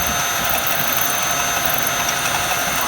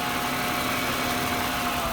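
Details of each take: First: 1996 Jaguar XJ6 just after an oil change (about 8 quarts): at startup a fast, uneven ratcheting tick of about four a second that sounds bearing-like; cause unknown. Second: 1996 Jaguar XJ6 after oil change, about eight quarts, good oil pressure: even steady idle with no skipping or stumbling, previously skipping; valve cover gasket leaking slightly, normal idle.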